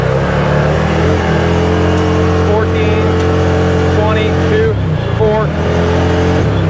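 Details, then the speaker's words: 2021/2022 ODES Dominator X4 LT 1000 UTV, warmed up, riding in high range around 25 mph: pulls then bogs, revs sagging and recovering; surging and power cutout under acceleration, later traced to reverse speed controller circuit. "See that? See how it's bogging like that? Okay, that's that's the cutout on that."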